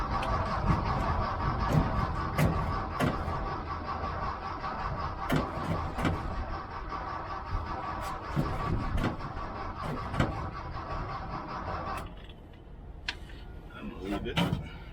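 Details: 1979 VW Bus, steady starter churn at about four beats a second with no catch, fuel starvation after running dry; the roughly 8 psi fuel pump needs long cranking to get fuel back to the carburetor.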